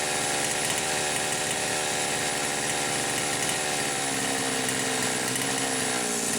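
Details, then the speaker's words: Poulan Pro 525 chainsaw, carb about 1⅛ turns open and possibly lean, revved at no load out of the wood. A high screaming rev wavers and stutters instead of holding clean: the carburetor governor is kicking in, limiting rpm. "Alright, yeah. I can hear the carburetor governor kicking in. I think you guys can hear it too."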